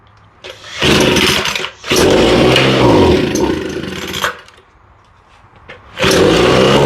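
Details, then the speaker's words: Homelite leaf blower, owner had replaced fuel lines and redone the carburetor; seems to run a little rich; roars, drops to near silence, catches and cuts out again; intermittent stalling and stumbling between bursts of running. "everything looks okay but she just stalled completely"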